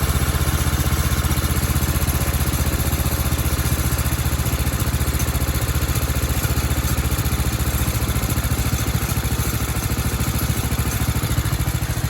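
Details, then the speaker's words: 1976 Sears ST12 garden tractor single-cylinder engine after repair (new PCV breather and hose, carb cleaned, flange flattened, new gaskets): steady, even putter with no misses, knocks or hunting; normal idle. "Just runs so good. So good. I'm really happy with it."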